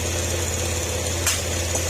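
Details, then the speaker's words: Honda Click 125 after a top overhaul for ticking and smoke. With valve clearance set to 0.010 intake and 0.024 mm exhaust, it starts at once into a steady, smooth idle with no valve ticking; only the phone holder rattles. Not warmed up, no coolant yet. "Start agad. Kapag ganito mga sir, saktong-sakto yung inyong pagkaka top dead, valve clearance, ano po yan, start din po kagad yan. Tahimik na lang."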